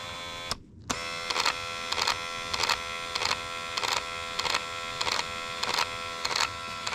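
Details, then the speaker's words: Driver's door window motor on a car whose window won't roll down, door panel on and power connected: a buzzing electric motor with a rough grinding surge about 1.5 times a second; failing window motor. "all right we got the juices on we got the door panel on and we got a little motor here oh yeah hear it she was not happy with life"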